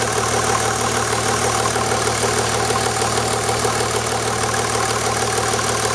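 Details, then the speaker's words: 1991 Mercedes 350SDL W126 OM603 diesel at idle after a 5W-40 oil change, oil pressure about 2 bar: steady clatter with a faint tick about 95 a minute; the owner is checking for a tapping noise, cause not found. "alright I'm gonna just fire it up again see if I hear that tapping noise now that I've gotten the oil pan out from under the car"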